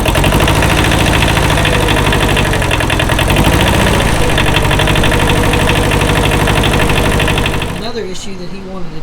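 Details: Kubota L185 diesel tractor, after starter repair (it cranked intermittently; solenoid suspected): loud, regular diesel knock at steady idle for about eight seconds with no stumbling, then it drops off. Normal diesel running.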